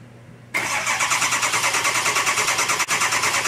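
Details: Ford 6.0 diesel crank-no-start: starter cranks steadily about three beats a second, engine never fires; injection control pressure desired around 1280 psi but actual only about 50–90 psi, diagnosed as failed injection control pressure regulator.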